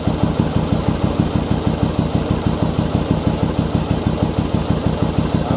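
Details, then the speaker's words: Second-generation Yamaha Virago, carbs synced, mixture screw on the rear cylinder being adjusted with the engine running on one cylinder: steady single-cylinder thump whose rpm sags as the screw goes lean; the mixture is too lean, so the screw gets backed out slightly. "you hear the rpm drop down that means i'm starting to get too lean let me back it back up just a little bit and that should be my setting"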